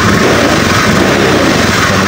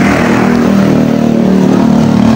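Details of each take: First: Honda Scoopy eSP injected scooter, previously stumbling when cold, after ECU reset, idle around 1600 rpm: engine revs up strongly and evenly under throttle, more responsive, no stumble; normal. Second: Honda Scoopy eSP scooter, cold engine: rough, uneven, lumpy stumbling beat at idle with no clean steady note, hesitating and struggling to move off when cold; fuel pump pressure normal, idle slightly low, cause not yet found.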